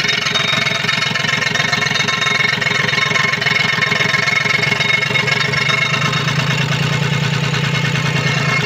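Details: Komatsu PC-20 excavator, 3D84 diesel, with low power, black smoke and hard starting. Low, uneven chugging at about three beats a second with a rough, lumpy idle; faulty injector nozzles, which were replaced.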